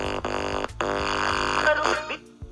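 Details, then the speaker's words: Tape recorder or VCR audio playback, likely the RCA bed-type tape recorder: music plays steadily, then abruptly drops out and partly returns; owner suspects a faulty capacitor on one side, not confirmed. "Friends ஒரு சின்ன issue இருக்கு இதுல என்னன்னா இந்த side ஏதோ capacitor வந்து fault இருக்குன்னு நினைக்கிறேன்."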